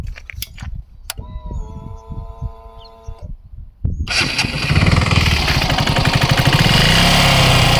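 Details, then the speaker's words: KTM Duke 200 single-cylinder engine running with a hard regular knock, roughly three per second, over a clattery top end; mechanic identifies two noises, bore noise and connecting rod/crank knock, before stripping the engine. "ఇందాక sound అయితే విన్నారు కదా, ఇంజన్లో అయితే sound అయితే వస్తుంది. మనకి రెండు సౌండ్లు అయితే వినిపిస్తున్నాయి. ఒకటి బోర్ సౌండ్ వినిపిస్తుంది, ఇంకొకటి కనెక్టింగ్ రాడ్ క్రాంక్ సౌండ్ అయితే వినిపిస్తుంది."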